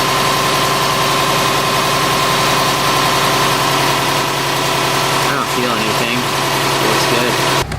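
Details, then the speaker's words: Subaru Forester on jack stands just after replacing the exhaust donut gasket at the downpipe: steady even idle, smooth low hum, no puffing or ticking at the joint; sealed and normal. "Purred like a kitten so far."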